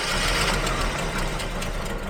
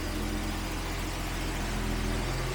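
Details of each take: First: 1980s Jaguar XJ40 whose old engine ran about 50 km without a fan belt and severely overheated: rough running with uneven puffs and chuffs, no steady beat; owner suspects a bad head gasket, later swapped out. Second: $200 Jaguar with a freshly swapped engine: catches and settles into a steady, even low idle with no knocks or misses, oil pressure rising on the gauge, not charging. Normal idle.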